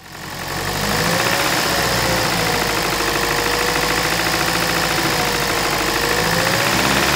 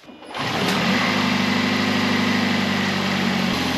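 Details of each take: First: 2008 Toyota Prius Gen 2 engine at idle, microphone beside the engine: dull repeating bottom-end knock suspected from a connecting rod bearing; fixed by replacing rod bearings with the engine in the car. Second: 2008 Toyota Prius Gen 2 engine started after connecting rod bearing replacement done with the engine in the car: smooth, even idle, rod knock gone, faint exhaust leak puff.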